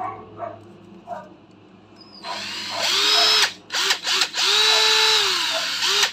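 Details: Used Japanese-import 14.4V cordless drill with fast and slow speed modes, not yet cleaned: the motor whirs up and eases off smoothly with the trigger, steady pitch at each speed, no rattle or grinding. Healthy drill.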